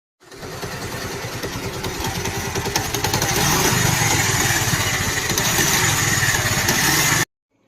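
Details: Bajaj Pulsar motorcycle running: fast rattling chatter over the engine, about three to four knocks a second. Scissor gear noise from a worn scissor gear.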